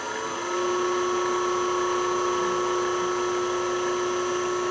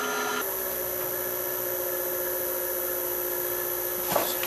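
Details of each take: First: South Bend lathe motor on a newly installed VFD, heard at the motor's back: steady high-pitched electrical whine over smooth hum at constant speed; VFD-driven motor whine, improved after adjustment, now tolerable. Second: South Bend lathe motor on an FM50 VFD set to half speed, about half of 1730 rpm: a smooth, even hum with a steady electronic whine and no roughness, running normally.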